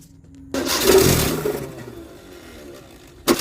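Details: Maruti 800 petrol engine fires in a short burst that fades after a second, then another attempt begins; hard starting blamed on a failed spark plug, being replaced, with the choke pulled up to help it start.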